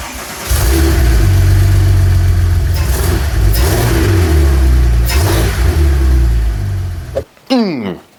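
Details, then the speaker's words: Crash-rebuilt Porsche 997 911 Turbo: rough, slightly wavering idle for about seven seconds, then it abruptly cuts out. Stalls shortly after starting; the owner suspects the missing intercoolers and intake piping. "the car would start up in idle just fine but after a few seconds and that really varied it would shut off and I assume this is because of the lack of intercoolers and intake piping"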